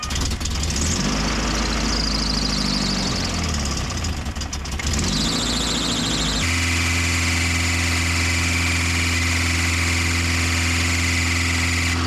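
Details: 1988 first-gen Toyota 4Runner after tightening a very loose alternator belt: engine starts and idles with a steady high squeal riding over it. Belt squeal; slipping alternator belt suspected, not confirmed.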